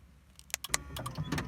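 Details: 1995 VW Golf Mk3 after fitting an eBay remote central locking kit, with lock and unlock wires swapped after it first worked reversed; a few quick sharp clunks with a brief motor buzz as the actuators throw, working properly.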